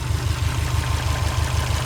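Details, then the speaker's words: Subaru Forester SH9 with swapped EJ255, first start: heavy regular low thumping about six beats a second through the idle; knock suspected from a piston pin in one piston, not confirmed. "стук слышен. Ребята сказали, что, скорее всего, палец в одном из поршней."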